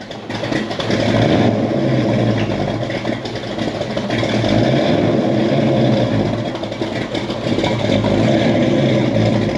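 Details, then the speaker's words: 1967 Ford Mustang with a 347 stroker V8 and manual clutch, after replacing the clutch fork and adjusting. The engine pulls smoothly under load on a drive, and the clutch is quiet with no more clicking. "so just replaced the clutch fork and got everything adjusted and it feels so much better like there's no more clicking sound the clutch is quiet"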